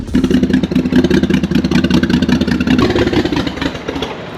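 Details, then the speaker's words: BMW 535xi E60 (N54) first start after sitting, with new low-pressure fuel pump fitted: uneven, stumbling rev with irregular chuffs and clatter, misfiring heavily, then stalling; cause unconfirmed. "Oh, wow. It start right up. Okay, it sound like crap though. Car is misfying like crazy."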